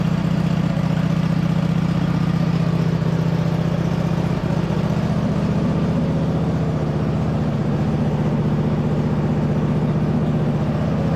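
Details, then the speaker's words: 2007 White Outdoors (MTD) CT 54 zero-turn mower, Briggs twin, run after sitting about 3 years, owner suspects non-ethanol fuel kept it healthy: even, steady putter at constant idle, no misses or surging, running on its own; normal idle. "they had to have been running some non-ethanol fuel in here for that to be running as good as it is for probably 3 years sit time"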